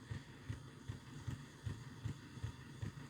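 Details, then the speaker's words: Golden Valley Hobbies Janus 0-6-0DE model shunter, new out of box, not run in, power turned up: evenly spaced low thuds about two and a half per second over faint motor hum; suspected binding in drive, not confirmed. "I'm pretty sure it shouldn't be making that thudding noise. Even without being running, I don't think it should be making that"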